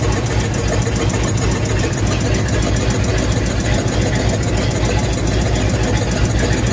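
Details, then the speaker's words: Ford/Mercury flathead V8 just brought back to running: rough, uneven idle with an irregular huffing chuff about three times a second, from two stuck valves causing misfire. The valves freed up after lubricant was put in the cylinder. "okay well we had a viewer comment on the fact that it sounded like one of the valves was stuck and so you could hear the huffing almost uh on the one video"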